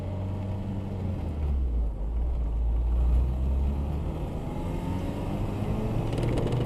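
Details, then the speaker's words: RHD Acura Integra GS-R DB1, revived after sitting for years, with the engine finished, new brakes and steering components: steady low engine rumble while driving, smooth as revs rise and settle, no knocks or rattles; engine running healthy. "Drives really well. The engine sounds good."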